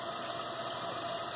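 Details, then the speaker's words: Repaired running toilet: steady hiss of water refilling the tank with no gurgle or sputter, the float rising to cut the water off; no leak. "put the water off sooner or later see it going up there what's coming up and there you go no leak"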